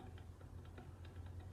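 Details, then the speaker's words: Stihl 041 chainsaw, muffler off, gasket broken in two, carbon buildup: faint light tick about four times a second as engine is turned by hand; possibly a worn bearing, unconfirmed. "Also, just carbon. Possibly a stuffed bearing. I don't know if you can hear that."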